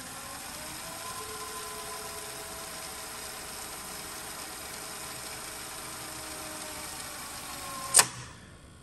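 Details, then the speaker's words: Funai ZV427FX4A DVD/VHS combo recorder after repair: faint steady rewind whir, then sharp clack as transport stops; lacks optical tape-position sensors so rewinds slower than JVCs and has no end slowdown, normal. "yeah that's one negative thing about these machines it doesn't have optical sensors like on the jbc's where it detects the position of the tape so when it does it's rewinding for it doesn't do it as fast as the jvc's but it also doesn't slow down at the end of rewind and fort because it's missing those optical sensors"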